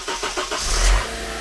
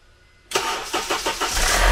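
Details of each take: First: Car cold start after parts were replaced to fix a noise. A few quick cranking beats, then it catches cleanly and settles to a smooth idle with no rattle. The start is normal, though the owner will check the next morning whether the noise is gone. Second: Car cold start: several quick cranking beats, engine catches with brief metallic clatter fading as idle settles; replaced parts didn't fix it, cam phaser suspected but not replaced, noise judged harmless.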